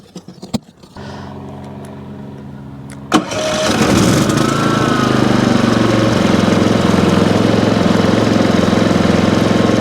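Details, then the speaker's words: Harbor Freight Predator 5000 inverter generator after replacing the faulty carbon monoxide sensor module (previously flashed yellow light and shut off after about a minute): short pull, fires and settles into an even, steady hum; starts and idles properly. "Starts right up. And you see we don't have that flashing yellow light. This would only run for about a minute and then it would shut off."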